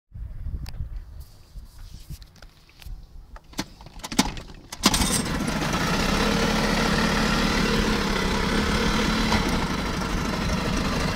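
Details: Yamaha 5 HP outboard, warm, idling in gear after a spell at full throttle: recently developed a thin steady squeal over the putter, absent in neutral; owner unsure of source.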